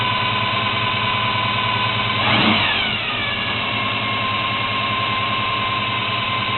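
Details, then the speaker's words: 1972 Chevy Monte Carlo, small-block 350 V8 on its existing carburetor before FiTech EFI install, faulty factory starter: uneven idle with a steady high whine over it and a brief rev; whine source still to be tracked down. "so the car is a little loud and also I'm going to be tracking down that whining noise"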